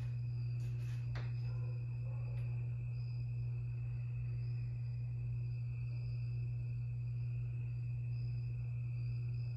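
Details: 52-inch Harbor Breeze Lakeside II ceiling fan, polished brass, before restoration: a bad capacitor leaves it turning slowly on low on all three speeds. Steady deep electrical hum with faint high whistle.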